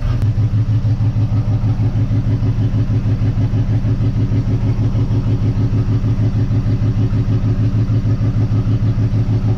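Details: 1958 Dodge Coronet Lancer barn find, warming up after a plug check and gapping: a steady lumpy idle with a stumble about three per second. The timing light shows nothing on cylinder two, and swapping plug wires gives the same result: one dead cylinder.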